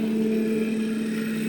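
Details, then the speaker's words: Homemade giant CNC machine with a MASSO controller, rehoming Z (up), then X, then Y to the homing switches: steady, even stepper hum with no stalling or grinding. Normal axis homing. "But right now it's already started and homed, but I can rehome it by double tapping this button right here. And first we'll do the Z axis, moving up, then the X axis, and then the Y,"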